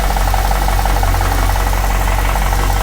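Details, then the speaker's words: Crewman engine first start on stock tune: steady idle with light fast top-end ticking; owner suspects pulley bushings and bearings loosening after sitting, oil pressure 36 psi at idle. "I definitely hear some upper drivetrain right now. Hopefully that quiets down in a minute. It's running pretty smooth otherwise."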